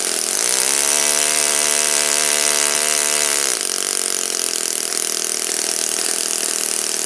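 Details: Saito FA-56 four-stroke model engine, first run after teardown, cleaning and bearing replacement, 12x6 prop, OS F plug, 5% Omega fuel, tuning run: crisp steady buzz holds even, then settles to a new steady speed without misses; runs cleanly.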